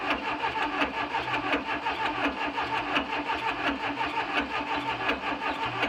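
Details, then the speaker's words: VW Beetle engine after correcting plug wire order to 1-4-3-2: cranking catches in uneven pulses about 85 a minute, stumbling; owner felt it wasn't firing right and suspects timing, adjusted it slightly; rough running. "all right so i switched messed it with the timing a little bit um turned it that way a tad bit um so it wasn't sounding right when it was trying to fire so we'll give it a another try"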